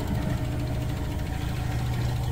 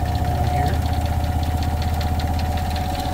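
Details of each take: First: 2022 Rockwood fifth-wheel RV washer/dryer (front-loader) starting to drain: steady low hum of drain pump running normally; loose-mounted unit not vibrating or banging, door rattle on tracks noisiest part. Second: Heavy low spin rumble with a steady hum and quick rattling taps, about four per second: the washer in a 2022 Rockwood fifth-wheel RV vibrates at high-speed spin, shaking both closet doors, which rattle even when latched.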